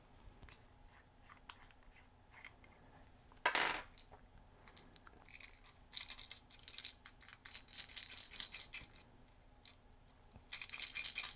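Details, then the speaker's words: Costco Christmas snowman nightlight with a broken power switch, opened for repair. Dry, maraca-like rattling in bursts as the unit is shaken suggests loose pieces inside the housing; not yet confirmed. "Sounds like a maraca inside, so luckily there are screws. Let's take them out and see what's actually inside."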